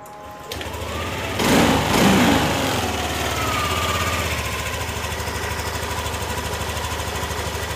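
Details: Yamaha Nmax (new model) after fixing a no-start starter fault and clearing stored ECU fault codes that kept the MIL lit. The engine catches after a second and settles into an even, steady putter with no misses or knocks: normal idle.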